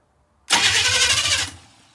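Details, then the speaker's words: 1985 Chevy K10 parts truck being revived, cranking with spark unknown. About a second of fast, even starter cranking that doesn't catch before dying away; the starter turns it over strongly. "oh it's a champion that thing"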